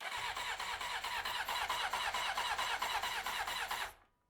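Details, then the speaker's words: 1993 Honda CBR900RR first start attempt, choke on, fuel pump not heard: steady cranking about two pulses a second for four seconds with no firing; spark present, owner suspects no fuel; cranks but does not start. "oh there we go now we've got spark now we just to get some fuel we need get this there some fuel"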